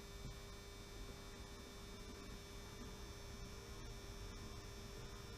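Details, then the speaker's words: 16-year-old model railway controller powering a funicular railway: loud steady buzzing hum that never changes pitch, the old controller's transformer humming; owner plans to replace it. "the humming noise you can hear is this old controller which I've lashed up which is really annoying I have to say"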